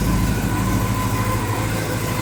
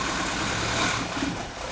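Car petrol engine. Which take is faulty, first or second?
second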